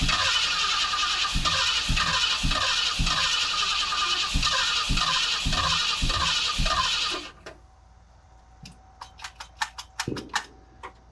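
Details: 1976 Ford Ranchero 500, 351 Modified 400, first start: steady busy idle with a regular thump about three times a second, then cuts out abruptly. Blew oil out but has oil pressure; normal running.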